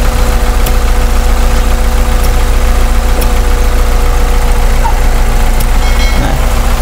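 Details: Car engine idling with the PCV vacuum port plugged with a bolt: idle rpm drops slightly and wavers with an uneven pulse, and it recovers when the port is reopened; rough idle from a blocked crankcase vacuum port.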